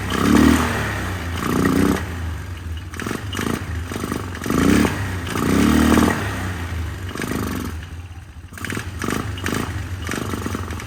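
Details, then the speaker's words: 1999 Polaris Sportsman 500 single, first run after a fuel pump replacement on a temporary tank, airbox not yet fitted. The engine surges and sags unevenly instead of holding a steady beat: running rough, and the carburetor needs tweaking. "running not running smooth as I like to see it let me tweak on the carburetor a little bit and get back and see if I can figure this out"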